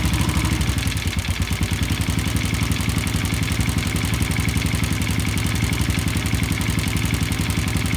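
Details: Yamaha Jupiter Z (also Vega R New) engine idling with a sharp, steady tek-tek knock about two per second; caused by a worn, loose connecting rod, fixed by replacing the rod, with an original crankshaft bearing.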